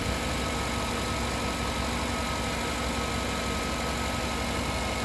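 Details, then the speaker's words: 2007-2014 Chevy Suburban 5.3L Vortec idling while the gauge reads zero oil pressure, engine full of oil and cold. Smooth, steady idle with no ticking or knocking, so the owner doubts a bad oil pump. "you can hear the engine like it sounds good inside zero oil pressure it's not ticking and not looking sound well smooth honestly"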